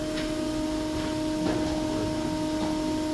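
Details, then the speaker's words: World's largest theatre pipe organ, in the main/solo chamber: a steady unbroken note sounds with nobody playing; cipher, a pipe stuck open, traced to a small spotted-metal Dulciana pipe. "Oh, you have a cipher. Yeah. You can't hear it? Yes."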